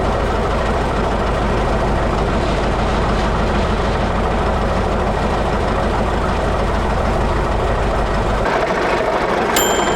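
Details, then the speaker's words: 1941 Caterpillar dozer, sat for a few years: engine lopes at a slow, fairly even idle with heavy clatter and no stumbling; it will only idle so far, more fuel needed. "When he pushes it forward, it shuts it down. So, all it'll do is idle. Right now, all we got is idle."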